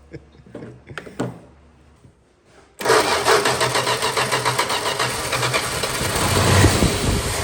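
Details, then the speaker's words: 1961 Valiant six-cylinder with glass-pack exhaust, first start after sitting 30+ years, points sanded: short crank, then a loud, throaty, even idle with steady exhaust pulses; it runs well, normal idle. "wow that's running pretty that sounds a lot better yeah"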